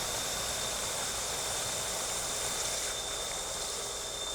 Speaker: Oh, that's the power we're used to seeing. Yeah, buddy. I'm very happy with that.